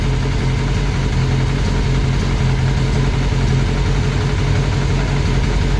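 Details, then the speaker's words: Classic Mini turbo, first start, ECU on laptop with lambda sensor: steady low idle with a light rhythmic tapping from the top end at the rocker cover, not the bottom end; sounded almost like a big end; valvetrain knock. "can you hear it Knocking it's ch mostly yeah can you hear it Knocking a little bit front sounds almost like a big end gone it's on the it's on the rocket cover"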